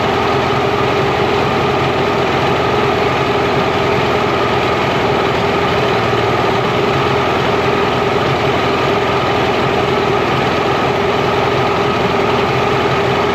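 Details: Mercury inline-6 outboard after #3 cylinder spark troubleshooting: steady even smooth hum near 1100 rpm, no misses; idle may drop under back pressure and may be lowered with idle screw.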